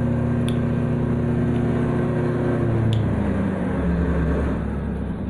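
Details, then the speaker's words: Honda PCX 2020/2021 scooter, about 1,530–2,530 km, still new and under warranty, revs by itself on starting with no throttle input, rear wheel reaching 92 km/h and holding a high, steady whir. Stuck throttle from gravel jammed at the throttle stop. "Ini ketika kita hidupkan setar langsung motornya ngegas sendiri. Lihat, nah, langsung mencapai 92 km per jam untuk teman-teman."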